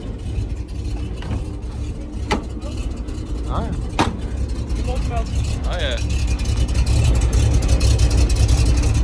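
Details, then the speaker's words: Another old truck, about 10 years newer than the owner's 70-year-old farm truck, hot-wired to the ignition coil and started: a low, even rumble that steadies with no knocks or misses; a normal, healthy idle. "sounds a lot better than my truck and this is only 10 years newer"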